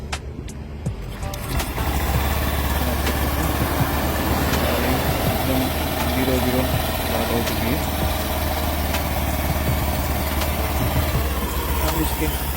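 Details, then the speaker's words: Honda Activa 6G (BS6) scooter, 24,000 km, previously run without oil, after engine rebuild with new air filter and refitted covers: starts and settles to a steady, even idle with no knocking or ticking, firing like factory new. "Company जैसा firing आया है।"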